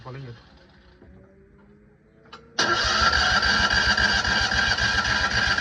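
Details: Citroën 2CV: even starter cranking at about four turns a second, with no firing and no catch. It cranks but won't start.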